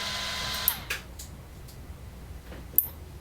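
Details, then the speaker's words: Raspberry Pi 4 on new PoE+ HAT under full-blast load test (Pi drawing up to 11.2 W, system over 14 W): fan whoosh cuts out abruptly, then clicks as the Pi resets itself after a few seconds; same happened on USB-C power. "but i tried running the test a few more times and every time the pi would reset itself after a few seconds at full blast here's what that sounds"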